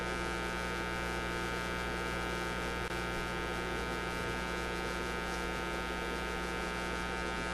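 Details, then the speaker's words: Canadian Motorola MK-56R AA5 tube radio, after a bad tube was replaced: steady loud low hum with a buzzy edge that never changes. "oh listen to that it's the sound of a hum not quite what you want to hear but"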